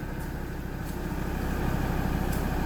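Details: Mazda BT-50 after a no-crank, no-start repair of loose panel-board wiring to the key's antenna coil (transponder signal to BCM/immobilizer): engine catches and settles into a smooth, even run, level building slightly; healthy, no misses or knocks.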